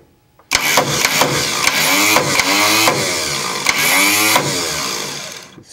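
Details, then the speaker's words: 125 tractor, starter found loose and then snugged up: high, rising whir of the starter spinning freely with no cranking or engine catching; starter drive not engaging the flywheel, owner suspects it isn't in the right spot. "rooms with no problem but it's not engaging okay almost it looks like it's not in the right spot"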